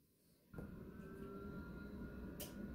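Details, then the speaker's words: Hartke 3500 bass amplifier at switch-on: loud, steady rushing hum with a faint constant tone from the cooling fan; normal fan noise. "there's the jet engine hopefully you can hear that"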